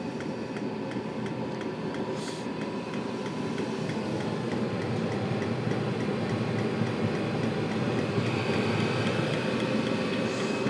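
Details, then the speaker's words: Chinese 5–7 kW 12/24 V diesel air and water heater on 10 V, starting at about 11 °C, fan speeding up and pump going from 1.4 to 2 Hz: steady fan and burner roar building evenly with faint regular pump ticks; it has lit normally. "And there's the fan speeds sped up. And the water pump is now doing 1.4H, 1.5H. Oh. 2. It sounds lit."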